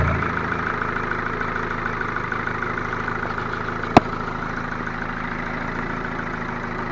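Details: Ford Focus 2 1.6 100 hp, after rebuild with block bored to +0.5 mm oversize, new pistons and new bearings: steady idle with faint, even knocking under the engine note plus one sharp click; knock cause not found.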